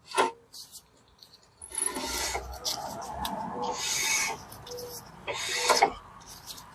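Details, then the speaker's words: Jeep Wrangler 4x4 that would barely move in drive or reverse, with the rear jacked up and the wheel turned by hand: repeated dry rasping scrapes like metal dragging inside the drum. The owner suspects collapsed emergency brake shoes jamming inside. "something in here fell apart and it's jamming and that's why it wouldn't go so most likely emergency brake shoes probably collapse in there"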